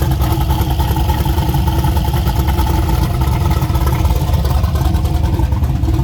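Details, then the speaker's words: Freshly rebuilt engine on temporary plugs, no tune or timing set yet: loud deep lumpy rumble with uneven beat at steady speed; rough running from an untuned fresh engine. "but got to put a tune in it and set the timing and put the radar and all that stuff on then I can put the good plugs in it fired up and then we'll actually hear it but it does live so that's cool"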